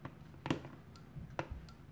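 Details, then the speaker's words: All-Sun EM3252 auto-ranging multimeter with a magnet placed against it: a few sharp, irregular clicks over quiet background as the range relay chatters from magnetic interference; no effect on the range switching otherwise. "can actually hear that really clicking so there's definitely an interaction out between the magnet and the relay"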